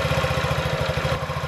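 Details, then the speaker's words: 2017 Honda Ruckus NPS50 50cc four-stroke scooter idling after lowering the idle from 1980 rpm with a tachometer: quick, even, steady putter with no misses or hunting; sounds like new, owner thinks the earlier trouble may have been the spark plug. "sounds good sounds like what it sounded new you want your idol to be as low as you can get it without a knife and it's steady"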